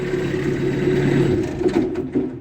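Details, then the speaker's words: Kubota B3000 diesel tractor, OPC fuse fault repaired: steady idle hum cuts out and runs down to quiet within seconds when operator leaves the seat with PTO engaged; seat safety shutdown working properly. "however once I put the PTO on and I come off the seat it should quit"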